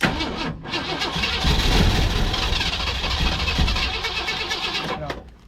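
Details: 1965 Lincoln Continental, sat for years, timing advanced slightly, starting fluid used, carb bowls leaking: starter churns steadily about three and a half turns a second but never catches. Cause not confirmed.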